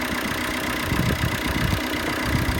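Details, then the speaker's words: 2014 ex-fleet Vauxhall Combo diesel van, previously would not start from cold, now running after injector replacement: settles into an even idle, steady low rumble with a few light bumps, still a bit cold; normal diesel idle. "yeah listen to that a nice bit cold but give it a little rev mate [Applause] yeah it sounds lovely"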